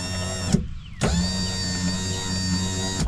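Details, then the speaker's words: 1993 Lincoln Town Car rear power window after the broken regulator torque pins were replaced, motor hooked up for a test: a steady, even hum for about two seconds with a clean start and stop and no grinding. Working normally. "seems to be working good. So hopefully there's nothing wrong with the spring and the mechanism for the window, and then this is just only what the problem is."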